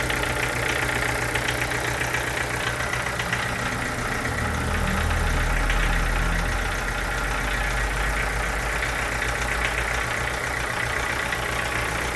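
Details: Chevrolet Corsa sedan with Montana front: steady idle with a fast, fairly even light knocking over the engine note; owner asks what the abnormal engine noise could be, cause unknown.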